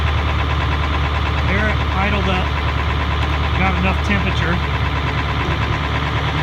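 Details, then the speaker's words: Roughly 20-year-old Ford 7.3L Powerstroke diesel, cold-started at about -32°F after a week at -40 to -50°F, plugged in 3.5 hours: deep steady low idle with a muffled, labored note from the exhaust back pressure valve until warm; an exhaust leak is also mentioned. "and the truck is gonna idle real low in a while it's gonna idle up when it gets warm enough now you're starting to hear the [Music] bass pressure"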